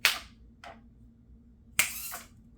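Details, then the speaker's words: Raspberry Pi Pico water-gun turret that aims with a servo and fires through a transistor, tested after final assembly. Two sharp snapping clicks come about 1.7 s apart with no spray; the gun tries to fire but is not shooting, cause unknown. "Okay, it's not shooting either. I can hear it trying. You can hear that little..."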